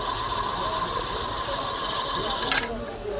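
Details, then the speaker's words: Ceiling fan with windings and capacitor checked good, run on series bulb then direct supply, turning slowly: steady high-pitched whine and scraping "khis khis" chatter; dry, dragging bearings causing the noise. "तो ये आवाज कहीं करुच्ची खिस खिस खिस खिस खिस खिस आवाज कहीं करुच्"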